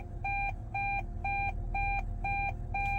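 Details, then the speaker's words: Hybrid car left in neutral with traction battery down to 2 bars: clean high-pitched warning beep repeating about twice a second over faint cabin hum; N doesn't charge the battery, so shift out of N (P charges). "Jadi kalian jangan kaget nanti kalau ada warning itu. Harus segera pindahkan dari N."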